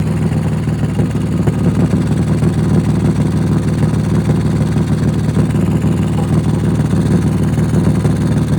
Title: Exhaust leaking? #automobile #exhaust #exhaust_pipe